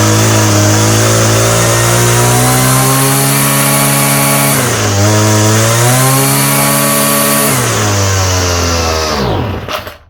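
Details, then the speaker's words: Homelite string trimmer with a new aftermarket Chinese carburetor. High, steady two-stroke scream dips briefly and returns to the same pitch as the mixture screws turn, then dies away; the screws, which seem fixed and springless, change nothing. "I swear these jets are supposed to be shut all the way. It doesn't run any different when I'm turning."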